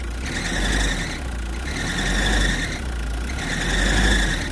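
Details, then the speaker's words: Car at cold idle on a pretty cold day, right after start-up: engine starts right away and sounds healthy, but a high, pulsing accessory belt squeal comes and goes about every second and a half. "One, the belt squeal. I'll start it right now. Not the end of the world. Starts up right away."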